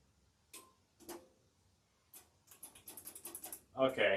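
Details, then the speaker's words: Standby generator engine in an automatic test with a transfer switch: sharp dry clicks then rapid chatter but no crank, a faulty starter motor solenoid. "so it's doing this thing again where it won't start so did this yesterday while we were troubleshooting and basically what's going on here is the solenoid on the starter motor"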